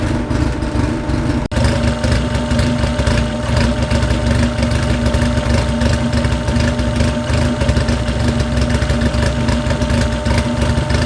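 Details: Freshly built car engine being heat-cycled, run to about 160 degrees with water pump on, to burp air from the coolant: even, steady idle with a constant hum and no knocks or misses; running clean and healthy.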